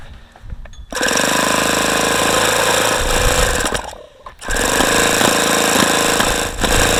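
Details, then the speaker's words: ASP FS65 model glow engine, 5% nitro, OS F plug, APC 12x6 prop, about 14°F outside air, case near 36–42°F: harsh buzzing cranking with ragged pops from exhaust that never catch; cold no-start, wants to fire but won't. "again it's got some very strange sounds coming out of the exhaust sounds like it's wanting to fire but it just isn't"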